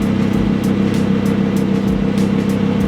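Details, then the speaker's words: Rebuilt crashed Audi R8 on first test drive: loose, irregular clunks and rattles over road roar, about two a second over bumps, like a bag of bolts, thought to be at the rear; source not pinned down. "okay whenever we go over a bump it like sounds like a bag of bolts"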